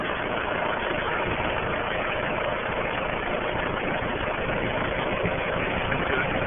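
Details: Rheem 13AJN 5-ton condenser installed a week earlier, said to sound like a chopper taking off. Constant loud running drone with a loose, uneven chop of about four beats a second. Abnormal noise, cause unknown.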